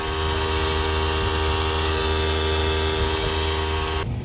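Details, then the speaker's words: Nissan G35 with engine off and hot: steady, even electrical buzz with a low hum underneath, near the ABS unit; ABS, VDC off and slip lights come on on braking; owner suspects the brake proportional valve, unconfirmed. "My car is off, but it's still making this noise. I do not understand. It's somewhere in here."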